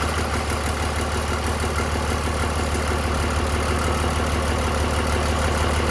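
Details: 2003 Cummins 5.9 common rail diesel on a 3-wire hookup, out of truck before swap into an 87 Chevy K30, just after first start: even, steady diesel clatter at settled idle, no misses or odd knocks; normal idle.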